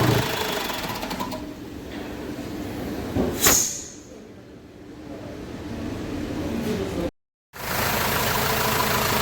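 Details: Renault Master minibus diesel after engine work, idling once reassembled: even idle with a steady clatter and no heavy thumping left in the top end, where thumping had been complained of; engine sounds healthy.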